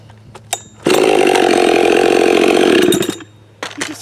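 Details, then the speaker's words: Husqvarna 572 build (popup piston, muffler mod) hot restart after heat soak following firewood work and field tune: fires right up, smooth high rev without hanging at high idle, clean shutoff; previously needed high idle to restart; normal hot restart. "can see the difference between that and when I first started running that saw where I did pretty much the same amount of work but then it wouldn't restart without going to high idle after doing the field tune that I just did it does this"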